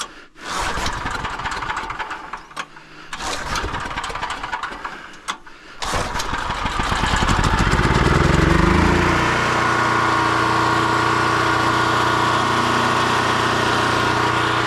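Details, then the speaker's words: Pull-start generator with loose recoil starter: several rough pulls with sputtering, then it catches, climbs and settles into steady running hum; hard starting, later ran but smelled too hot, air filter to be cleaned. "It almost wanted to go. Yeah, it kind of wants to"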